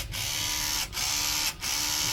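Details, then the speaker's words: Hobby Plus CR-18P Evo Trail Hunter RC crawler on two-speed transmission, slow speed: steady high hissy whine cutting out as drive stops and restarts; owner suspects a gear, performance unaffected; drivetrain gear whine. "noise is pretty concerning. However, it does not seem to be affecting the performance of the truck."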